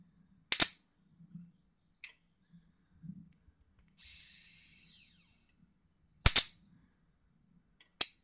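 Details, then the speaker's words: Mitsubishi Diamond Plus 93 SB CRT monitor flyback tested in circuit, with a large built-in capacitor: loud, sharp snaps a couple of seconds apart with sizzling between them, arcing across a gap of about 20–30 mm; a strong, healthy flyback. "okay oh pretty big ox out of that it's quite long that's like you're looking at 20 mil there it's definitely got a capacitor on the end of that"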